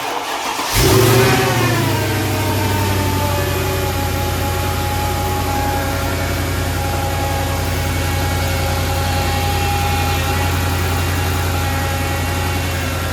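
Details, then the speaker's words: 2006 Mercedes-Benz E55 AMG after valve cover gasket replacement for leaks, injectors and coil packs refitted: quick crank, catches and flares, drops to smooth steady idle, no misses, ticks or knocks; no leaks. "Now I'm gonna start it up and make sure that it's running good, there's no leaks."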